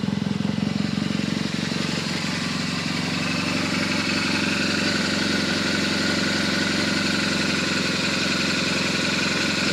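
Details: BMW R1200GS Hexhead boxer at a 100,000 km service, after spark plug and coil work, warming up: even, steady idle with a smooth regular pulse and no knocks or rattles, sounds healthy; normal idle.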